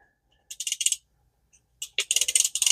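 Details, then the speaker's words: Vintage Shakespeare Tidewater 30GL reel after repair, cleaning and lubrication. Two bursts of quick, even, high-pitched drag clicking as line pulls out; a full drag was hard to get at first but improved as it worked in: normal drag operation. "let's see how the drag does having trouble getting a full drag out of there it goes all right let's work it in a little bit it got better as I worked it"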